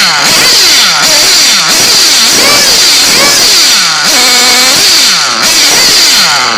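High-pitched nitro engine buzzing up and down cleanly with each throttle blip, picking up crisply without bogging; engine running healthy.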